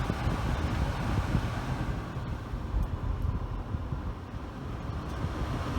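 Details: 1997 Oldsmobile Aurora, climate control with A/C working, fan speed lowered; soft, steady rush of air under a low cabin rumble, no squeal or ticking; blower running cleanly.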